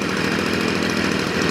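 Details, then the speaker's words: Stihl FS 55 trimmer that started then died and wouldn't rev, after a carburetor rebuild: a steady, even two-stroke buzz at high speed with no stumbling or surging, running more steadily as it warms up. "сейчас она прогревается по устойчивее немножко работает"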